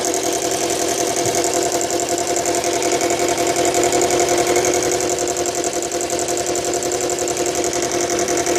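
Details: Subaru Legacy BL5 engine at steady idle with a fast, fairly even metallic rattle about two or three per second; source not pinned down; engine rattle at idle.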